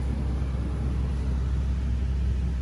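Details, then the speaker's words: Truck with about 183,714 miles after replacing the serpentine belt, tensioner and idler pulley, engine warm after the drive home: steady deep idle rumble with no belt squeal or chirp, now nice and quiet. "all right just got done from the shop and everything's nice and quiet now"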